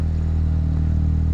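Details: LS-swapped Nissan 350Z after a new wiring harness was fitted, idling: deep, steady idle with an even, smooth beat and no ticks, knocks or misses; engine running healthy.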